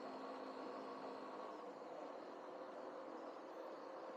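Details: 2014 Yamaha Fazer 150 after a repair for a heavy engine rattle: faint, steady idle with even hum, no rattle or knock; bottom end sounds quiet and healthy.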